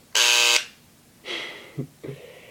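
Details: Dremel engraver, new, first switched on; owner thought it was broken and nearly returned it: loud harsh rattling buzz for about half a second, then quiet; this is normal engraver buzz.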